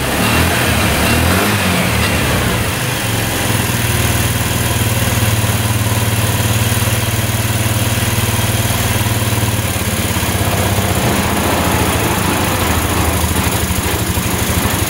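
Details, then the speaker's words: Yerf-Dog Scout 4x2 UTV, sat outside for years: loud steady idle with an even, slightly lumpy beat, no knocks or misses, after checking the diaphragm (no rips or tears) and the carb; running pretty good now. "just checking for rips in the diaphragm here and uh everything looks good no rips no tears either looks good so we can put that back everything looks good in the carb running pretty good now"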